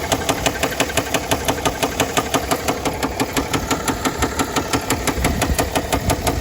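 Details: 2009 Mercedes ML320 with OM642 diesel, knock began after oil change and 4-hour drive with no oil on the dipstick: sharp, regular knock about three a second over the idle; shop called engine toast, cause unconfirmed.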